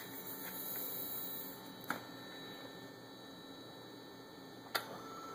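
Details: 1994 Mercedes C280 (W202, M104) after coil and valve cover gasket replacement, key on, engine off: faint steady hum with two sharp relay clicks as the system runs its check before cranking; normal key-on self-check.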